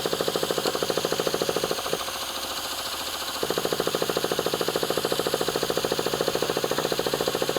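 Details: Traxxas Revo 3.3 nitro truck that sat 10 years, on its original glow plug, slightly choked and just started cold: a small engine popping at about three and a half beats a second, stumbling and dipping midway. A rough, rich idle.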